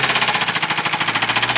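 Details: Mercedes 220D diesel run low on engine oil: hard, fast metallic hammering, roughly fifteen sharp knocks a second, dominating the engine note; severe rod knock after oil starvation.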